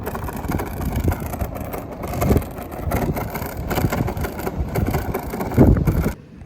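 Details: Polytron Fox 350 electric scooter ridden on rough road, before the fix: irregular kletek clattering and knocking over low road rumble from the loose stock front body cover, popped open by visor bracket and phone holder, with the middle clip missing; replaced with a Versys-650-style visor.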